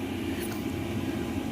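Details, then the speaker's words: 8kW all-in-one Chinese diesel air heater in a van, cabin near 15°C, pump and fan about to slow; low, steady fan and burner hum with even airflow, no rattles or surging, running normally. "and it's really not that noisy like it's warm in here I'm starting to sweat"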